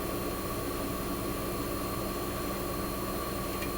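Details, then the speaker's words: 1965 Fedders Weather Wheel air conditioner, cold start in a shop of about 20-some degrees, warming up and building head pressure: steady, even hum with faint fan whoosh, no knocks or rattles; compressor running quietly and normally. "So you can hear it's super quiet."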